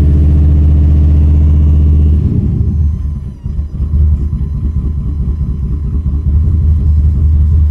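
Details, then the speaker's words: Holley Dominator EFI V8 idling with cylinders 1, 3, 2 and 4 getting no injector pulse, running on about half its cylinders: deep uneven lope with heavy rhythmic thump, note drops and roughens; multi-cylinder misfire, cleared by cycling ECU key power. "much better just started it sounds like it's on this wrong about half the sellers"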